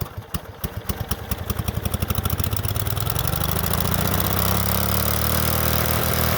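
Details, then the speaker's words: Late-1990s Snapper SR1642 riding mower, sat for years, started on first pull: puttering rises within seconds to a loud steady full-speed roar with no idle; runaway full throttle because throttle linkage was not connected. "as soon as I fired it up the last time started on the flo first pull but instantly went full Full Throttle um that was because I had forgotten to connect the throttle linkage"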